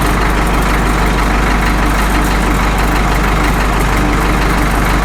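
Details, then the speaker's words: Caterpillar D2 #5J1113 diesel after replacing the internally leaking number 4 injector: loud, even idle with a steady low thrum, no pops or misses; pop gone, running clean. "I'm not getting that pop anymore. I think this sounds better now than it has since it's ran. I like it."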